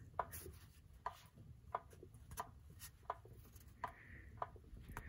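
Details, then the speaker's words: 1968 GMC with a resealed 4L60E pump, transmission on a jack, torque converter turned by hand: crisp light clicks about every two-thirds of a second from the pump; converter pushes in to the bell housing, fully seated. "can hear the pump clicking, and I can actually push the torque converter all the way in until it hits the bell housing, so I believe that is seated and doing what it's supposed to do."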